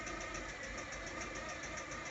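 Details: Mazda 626 GC petrol engine idling with a steady, sharp knock about five times a second. The cylinder 1 connecting rod bearing shell is pressed out, and when hot it hammers like a diesel: rod knock.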